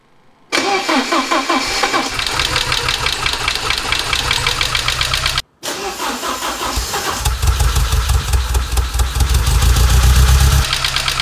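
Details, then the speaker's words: Porsche 944 on first start after head gasket replacement and reassembly: the engine catches and settles into a lumpy, uneven idle, apparently misfiring on one cylinder; fuel injectors to be checked next. "hmm well we have ignition but as you can probably hear the engine's running a little bit rough and it sounds like we have a misfire on one of the cylinders"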